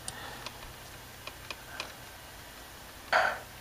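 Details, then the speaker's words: 40 GB IDE external hard drive on Windows 7 64-bit, opened in Windows Explorer: sharp irregular clicking about every half second instead of reading, files won't open; works fine on XP, owner blames Windows 7 64-bit incompatibility. "now remember now we're on Windows see how long that takes and we're still clicking here"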